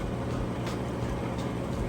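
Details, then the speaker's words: Kenmore HE washer on heavy duty, final spin near top speed with lid lock bypassed, about 7 minutes left: steady low rumble and even hum as drain pump runs, no knocks or scraping; normal spin and drain. "But you can see it's spinning nice and fast. It's getting all the water out of that drain there, you can hear that."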